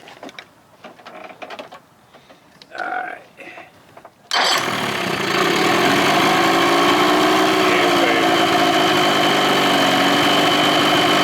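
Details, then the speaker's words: 2000 Johnson 25 hp outboard on a 13 ft Whaler, cold, after fitting used ignition parts: buzzy idle with a slight skip in the beat; an occasional miss is suspected. "Still sounds like it's got a little mist."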